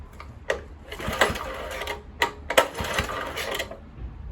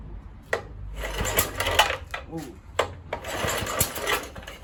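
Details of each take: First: Kohler K101 engine on Atco mower, Walbro carburettor just cleaned, fuel airlock cleared, choke on: irregular sputtering pops in short bursts, catching but not running; too much choke, flooding. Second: Kohler K101 engine (Atco mower) after cleaning its Walbro carburettor and clearing a fuel-line airlock, started on choke, then choke off: uneven bursts of firing with short gaps as it catches; it's firing.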